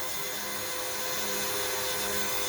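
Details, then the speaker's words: Cheap Amazon electric fuel pump set up as 55-gallon drum E85 transfer pump, pumping fuel: loud steady buzzing whine with harsh edge, no pitch change; running normally, just noisy, owner wouldn't trust it on a car. "i don't think i would ever trust this on a car especially not being you know it's a 30 35 pump off amazon is cheap"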